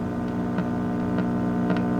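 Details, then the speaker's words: 1960s GE C403G tube clock radio, after replacing a tube with an open filament, drawing 0.24 A, volume all the way down: steady low buzzy hum in the speaker; an open capacitor is suspected, not confirmed. "There's a hum in the speaker. And I see at least one of my tubes blowing, so yeah, maybe that cap ain't so good after all."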